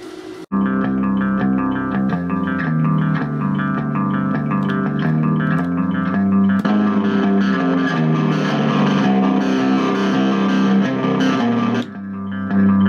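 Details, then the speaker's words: Peavey Bandit 112 TransTube guitar amp after repair; clean guitar and bass notes with no hum, crackle or cutout; amplifier output normal, working again. "So here she is, Peavey Bandit 112. Well, it's working again."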